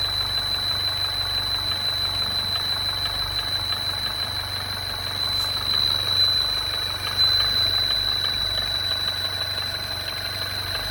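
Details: MINI Crossover R60 at idle: steady idle with faint irregular tapping, roughly three a second, over a constant high-pitched hiss; abnormal engine noise, cause unclear.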